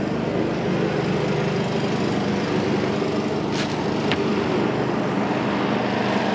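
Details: Honda-powered Billy Goat at about 21–22°F, running after a choke adjustment got it started: even, steady engine drone holding constant speed under load with no misses or knocks; running properly.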